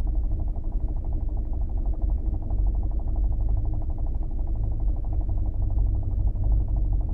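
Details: New Kia Optima at idle: fast, even light tapping over a steady low rumble; engine knock, dealer claims it is a normal engine trait, cause not established.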